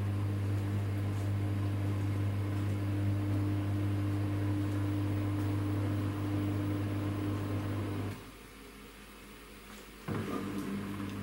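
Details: Samsung WW10N645RBW washing machine after adjusting the legs for stability: smooth even spin hum with steady low tone, no shaking or thumping, then winds down; rated 73 dB spinning; balanced, level normal spin.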